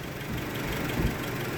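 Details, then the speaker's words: 1996 Honda Civic EX 1.6L with replaced engine, after an idle fix: idle dropped from 1400 rpm at first start to about 700-720 rpm; low, even, settled idle without surging; normal warm idle. "look at that we went from 1400 RPM I should have taken a video of it when it first started 1400 RPM and now we're down at 700 RPM"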